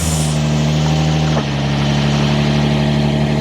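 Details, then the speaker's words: 2012 Vauxhall Corsa VXR with exhaust refitted, mic underneath at the front: deep steady idle, even low rumble, no puffing or blowing leak; exhaust sealed and sounding much nicer than when run without it. "You know what? I'm really quite pleased with how that sounds. That sounds way nicer, way nicer."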